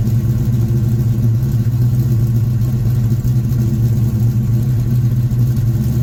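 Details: 1967 Ford Mustang V8 being inspected before purchase, warm engine: deep even burble at idle and through rev blips, steady firing, no knocks or ticks; runs strong, temperature around 180; normal warm idle and rev.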